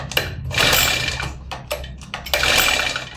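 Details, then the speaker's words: New grass cutter: repeated rasping pull-cord bursts with no firing. No spark appears at the plug tip, so it won't start because the spark plug is dead. "So mayong kuryente na lumalabas. Kaya ayaw umandar itong grass cutter dahil itong spark plug ay pundi na."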